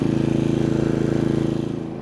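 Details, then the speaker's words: Genmax 4500iBEFI fuel-injected inverter generator on concrete, hairdryer load of about 750 watts added, noise rising roughly 0.75 dB: steady even hum with fine regular pulse, holding speed smoothly; normal running under light load. "And so now as we look at it, we probably added about 0.75 decibels, give or take."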